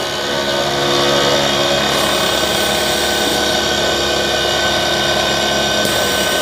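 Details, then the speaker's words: Newly installed 12V DC AC compressor on first test run: steady loud hum with harsh buzzy rattle; the noise is vibration from the way it is fitted/mounted, not the compressor itself. "अभी जो कि इसकी जो fitting है वो वो इस तरह की है कि इसकी जो आवाज है ना वो पैदा हो रही है। ये कंप्रेसर की आवाज नहीं है। इसकी वाइब्रेशन है।"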